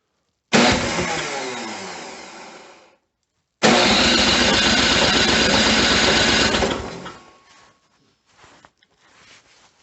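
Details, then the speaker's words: Snowblower cold start at -10°F on electric starter, choked and primed, throttle raised: starter whirs, pauses, cranks again with ragged firing that won't catch; owner thinks it flooded earlier. "oh it really doesn't want to start i bet i flooded it before yeah i think it's flooded"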